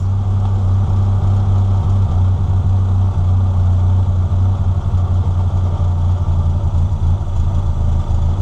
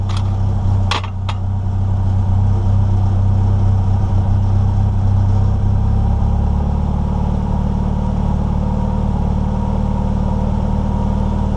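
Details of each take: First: NA Miata during airflow meter (AFM) tuning: steady low idle thrum with a slightly uneven beat that sags lower; idle set too low at the idle screw. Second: NA Mazda Miata after air flow meter tuning and idle screw adjustment: a couple of clicks, then the idle settles to a steady, even low hum with no hunting or dips; idle normal.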